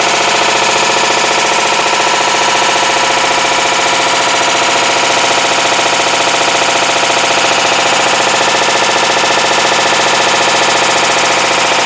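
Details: 2012 Hitachi Beat Wash BW-D8KV washing machine, eight years old: harsh regular clattering bangs about 1.5 per second; drive clutch failure, second time, blamed on overloading with laundry.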